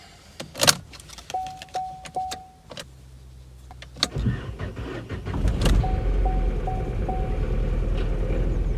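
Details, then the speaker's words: 2018 Corsa E with 10K miles, a salvage repair, first start after sorting the wiring loom and clearing fault codes; airbag and engine management lights on. Chimes and relay clicks, brief cranking, then a steady, even idle: normal start. "Okay, so that was relatively successful. It's running, which is a good thing."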